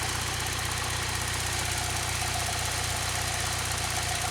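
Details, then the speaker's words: 2006 Saab 9-3 2.0t after new spark plugs for stumbling at start and warm idle, now at operating temperature: even, steady hum with no misses or stumbles, feels smoother and shakes less than before; valve cover issue possibly left for now. "So just sitting here, it does feel smoother. She's already at operating temperature. It really doesn't feel like it's shaking as much as it was."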